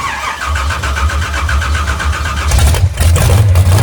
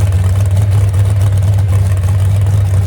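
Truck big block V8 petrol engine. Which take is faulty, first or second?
first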